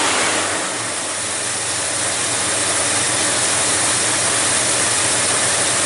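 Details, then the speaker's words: 1978 Chevy K10 350 V8 after intake manifold gasket replacement, first fire-up after dry start, timing not yet set: even idle under hiss, no knocks or stumbles, sounds fine. "you seen it did fire up it does run don't sound bad"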